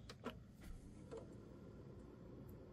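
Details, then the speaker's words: PS2 30000 series after swapping in a fan from a 50000 series model: after a few startup ticks it settles into a low, soft, even hum with no rattle or whine, much quieter, rising slightly as the fan steps up to 7 V. "much quieter should kick up a bit now so that's the sound difference with the 7vt kicking in from the hard drive"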